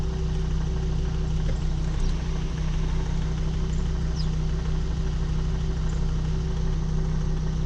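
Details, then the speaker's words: Volvo XC70 D5 2.4 diesel, first start after high-pressure fuel pump replacement, purging air: steady, even idle with smooth low hum, no knocks or hunting; normal idle. "Give it a few seconds to work out any air that might be in it. So far it's running smooth."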